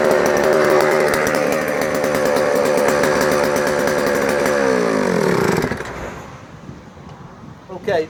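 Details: Vintage JoBu L6 chainsaw on its last run before the fluids are drained and it goes to a new owner: a fast, crisp two-stroke buzz holds steady for about five seconds, then winds down cleanly at shutoff; it runs smoothly.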